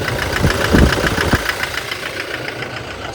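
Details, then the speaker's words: 2018 Toyota Hilux diesel with cylinder 1 misfire (P0301), after injector servicing and refitting: loud uneven knocks, then a ragged ticking of three or four beats a second at idle. It still runs rough. "ثواني دلوقتي نشوف الدنيا شنو انا سامعه الصوت في خشونه لسه ان شاء الله"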